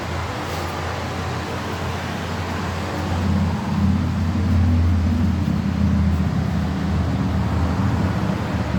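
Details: Exhaust still makes noise after a repair: a deep, booming drone that rises a little as the engine is blipped, much louder than a stock system should be.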